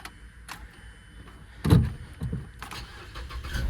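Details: Completely dead car jump-started with a TOPDON JS2000 jump box: quiet, then a short cranking burst that catches and settles into a low idle; normal start.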